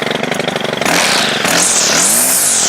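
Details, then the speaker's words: Stihl FS100RX trimmer under repair: buzzy two-stroke jumps cleanly from a choppy idle to a high, steady scream when the throttle opens; quite responsive. "It is quite responsive."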